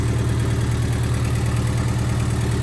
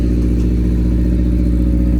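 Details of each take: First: Honda EF hatchback with D16Z6 swap and new cheap open exhaust, warming up at idle: fast, even tapping heard up front on the exhaust note, not valvetrain; owner suspects an exhaust leak at a bolt needing tightening. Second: Honda EF hatchback with D16Z6 swap and new cheap open exhaust dumping over the control arm, first start without coolant, holding about 82–83 psi oil pressure: loud, raw, even rumble with no knocks or rattles; runs clean.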